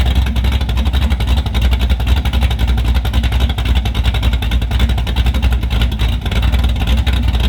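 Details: Car with Summit Max E5500 fuel injection kit after replacing a faulty injector (part 193300545-3): steady even exhaust pulse, no misses or knocks; runs smoothly on all four injectors.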